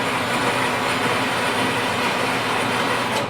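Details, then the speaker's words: Used kids' battery ride-on toy (Peg Perego, battery tested at 13.10 V), run to check motor and gearbox: smooth steady electric whir, even gear hum, no clicks, clunks or grinding; healthy drive. "and let it run and listen for any clunking, clicking, grinding, crunching, whatever that might be."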